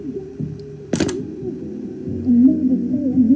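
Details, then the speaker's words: Early-1970s SoundDesign model 6438 AM/FM 8-track deck under repair, playing through one speaker in mono: music pitch wobbles and sags unevenly, tape-speed wow. "Of course, 8-tracks sound rather crappy. That band doesn't help either. Sometimes it depends on the band."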